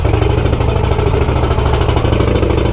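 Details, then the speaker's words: Motorcycle with new exhaust heat shield after removing pipe wrap: lumpy loud engine beat with a repeated metallic clank tied to the pulses at low speed, like something loose on the exhaust; cause not confirmed. "Ooh, there's that Ducati sound. Clank, clank, clank, clank, clank. You guys hear that?"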